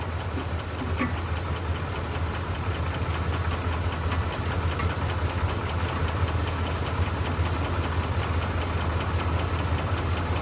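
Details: 1985 Dodge Ram D150 Prospector, 318 V8, 70,000 miles on the odometer, after a disconnected plug was reconnected to restore power supply: low steady idle with an even pulse, no misses or knocks; it runs smoothly with charging and oil pressure.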